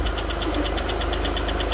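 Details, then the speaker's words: Alfa Romeo GTV V6 unstarted for several years, first start after cambelt alignment and new gaskets: fast even light ticking over a steady idle; hydraulic tappets noisy as oil has not yet reached the top of the engine. "you've got a little bit a little bit tappity as you would expect from an engine which has not been run because there's no oil at the top of the engine"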